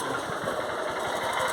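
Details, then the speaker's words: 2008 Honda Titan 150 engine running with a fast, busy tapping under the exhaust beat; owner suspects the timing chain, cause not confirmed; engine knocking noise. "você sabe me dizer que barulho é [Música] esse barulho desse motor Será que acho que muito estranho bati acho que é correntinha"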